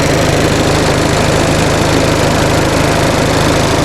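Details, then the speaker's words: 1945 Onan generator, plugs gapped 0.030 in with new seals and gaskets, cold start warming up: steady, even small-engine chug, heating element warming and rpm slowly rising as the choke opens, charge rate climbing, 30 psi oil pressure; normal warm-up idle. "i can feel the heating element warming up so it must be working and you can hear the engine rpm is slowly increasing so it sounds like the choke is working"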